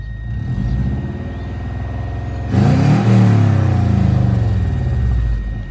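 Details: JDM Subaru WRX GC8, long stored, with a blown exhaust: loud, raspy, rumbling exhaust that swells sharply as revs climb, far too open for a sealed system; exhaust leak.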